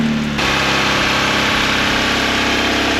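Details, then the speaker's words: 1994 Mazda Eunos Roadster after new ignition leads fitted: loud, uneven lumpy running that never settles into smooth idle, sounds awful; misfiring, new leads made no difference, pulling a lead changes nothing. "Well, new leads are in, so let's crank her up and see what happens. That sounds awful."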